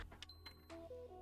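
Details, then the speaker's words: PS5 (126A model), warranty seal intact, on power: light clicks from pressing eject and power, then a thin high beep and short tones, but the console never turns on. A beep-no-power fault, cause not yet found. "That was the eject button. That's the power button. But as you can see the console doesn't turn on."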